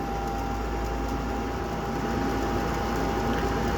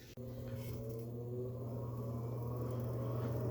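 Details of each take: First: Gas furnace after replacing faulty control board: steady, even hum with smooth airy whir as the inducer kicks on normally before ignition; igniter then glowed and lit. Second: Gas furnace: a click, then the inducer fan hums steadily with no igniter glow or burner flame; no ignition, owner believes faulty control board, later replaced.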